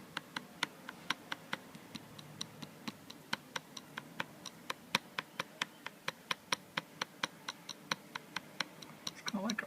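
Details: New 2013 MacBook Air trackpad pressed or clicked on the left side: sharp even taps about three a second with a thin tinny rattle, quiet elsewhere; suspected looseness or a gap between glass and steel, unconfirmed.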